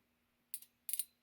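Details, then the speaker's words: Mid-1930s trumpet horn set from a Model A Ford, horn relay bench-tested on a battery: two crisp clicks a fraction of a second apart as the relay pulls in and drops out; the relay works normally. "there you go you can hear it clicking there you go okay there's the relay so good news the relay is working"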